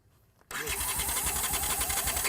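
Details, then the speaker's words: Carbureted twin motorcycle that sat for years: the starter turns it over in a steady chugging beat of about seven pulses a second without firing while the battery tires; carburettors suspected. ">> There goes your battery. >> Battery's getting tired already."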